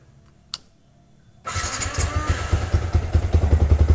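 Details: Motorcycle with Juken 5 ECU, restarted after changing the base map starter setting during idle tuning: quiet, then the engine catches straight away and settles into an even, steady idle putter; a clean, healthy start.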